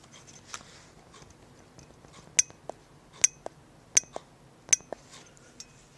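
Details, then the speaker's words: 1927 Atwater Kent Model 37 radio speaker: the reed spring pushed down and up by hand gives sharp clicks, firmer in one direction than the other, showing the reed armature is off-centre; pressure should be equal both ways. "they said when you move it this way that way and you're listening for the click you want to have equal pressure in both directions equal pressure in both directions"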